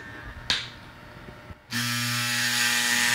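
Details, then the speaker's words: Andis Masters hair clipper running with tension screw loosened and the blade fork lifted with a screwdriver: loud buzzy chattering rattle; blade tension too loose, fixed by turning the tension screw clockwise until a smooth hum remains. "We're going to put the screwdriver underneath here now that we've loosened the tension screw and lift it up, and we want it to make a loud rattling noise."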